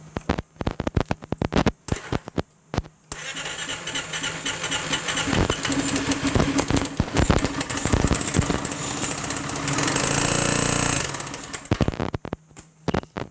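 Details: Piaggio MP3 500 HPE ABS/ASR scooter run without variator or drive: engine cranks, fires and runs rough with uneven knocking under the exhaust, then shuts down; suspected worn connecting-rod plain bearing, not confirmed.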